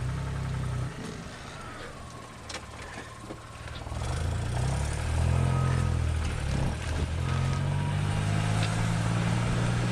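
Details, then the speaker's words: Geo Metro driving: steady low knock about four per second under road and engine noise, felt through the floorboards; varies with wheel speed, also in neutral, not engine or transmission; owner suspects axles or brakes. "there it is do you hear that knocking I can distinctively feel that coming through the floorboards"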